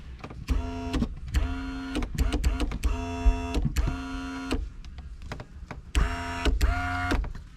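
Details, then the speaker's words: 1999–2005 Pontiac Grand Am sunroof opened fine, then closed crooked and started clicking. The motor whirs in bursts with sharp clicks. The motor is suspected bad, with the panel running crooked in its tracks. "That is not supposed to do that. I don't know that I've ever. So that's a bad motor? Interesting."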